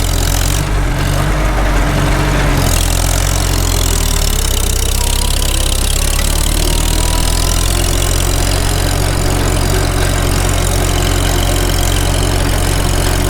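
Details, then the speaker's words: Farmall H tractor after sleeve repair, warmed up to temperature, full throttle under load pulling uphill; deep steady drone with no knocks or misses; normal running under load. "I'll say one thing, the steering is nice and tight on this. Sounds good. Engine, I mean. We're up to temp. Make her work a little bit."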